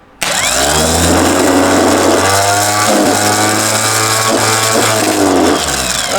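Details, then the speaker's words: Starter motor from a rebuilt BMW D190 marine diesel, previously seized and sunk, bench-tested without its solenoid: spins freely with a steady hum and a faint rough edge underneath, slight bearing wear that is considered typical of that model and acceptable. "A little bit of bearing wear there. That's alright. All that model did that."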